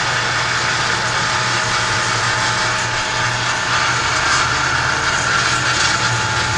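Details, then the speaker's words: Vintage Fasco exhaust fan, after its screeching dry bearings were oiled with Zoom Spout on the shaft; steady even hum and airy rush, no squeal, running quieter and faster (motor spins clockwise, blade made for counter-clockwise). "Yeah, runs a lot quieter now. And faster, too."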